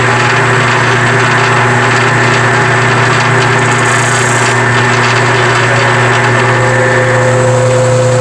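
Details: Powermatic 87 bandsaw, year unknown, running in neutral without the blade swinging after the loose main drive pulley was refitted with set screws; smooth even hum, low drone, no knocking, slapping or rattle, drive runs quiet and healthy.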